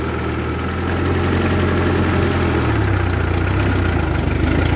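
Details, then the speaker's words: 1948 Ford 8N tractor after warranty repairs, pulling a big trailer of scrap metal uphill, not at full speed: a low, steady beat without labouring or missing, and oil pressure is reasonable. "yeah no worries at all power oil pressure is reasonable it's not even really at full speed"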